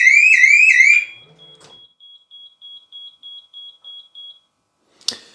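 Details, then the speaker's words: Rolls-Royce Silver Spirit III, armed a minute, then a hand through the open window sets off the ultrasonic sensors instantly; warbling siren stops and ten beeps on disarm signal the alarm was triggered. "Right. Did you see there? The alarm went off instantly when I put my hand through. And then when I disarmed it, we got 10 beeps."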